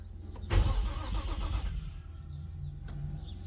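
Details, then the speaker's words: Infiniti G35 first crank after engine-bay fire, new alternator and rewired starter and power: about a second of starter cranking, engine turning over but never firing; crank-no-start, no fuel leaks seen. "It tries to turn. Now let's make sure we don't got no gas or anything squirting out."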